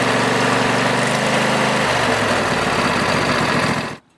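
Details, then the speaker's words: Lawn tractor small single-cylinder engine started after replacing the fuel filter; fairly steady idle chug that cuts off cleanly at four seconds, normal running. "if you do have a fuel valve now you can turn it on and now you can start the engine to make sure everything's okay"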